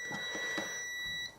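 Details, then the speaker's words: Meter continuity test on the output of an SC480 bass amp KC5347 linear power supply kit after discharging the filter capacitors: a short high beep of about one second from residual capacitor voltage, then silence. The output is not shorted, though the -15V zener draws current. "right so our output is not shorted in any way"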